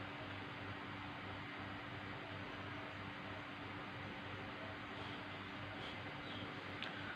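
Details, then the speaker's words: MSI laptop cooling fan, removed with heatsink and bench-tested on a power supply: quiet even hum, steady low tone, no scraping or ticking; normal fan operation, reusable. "Yeah, fan is spinning very nice. Yeah, no noisy."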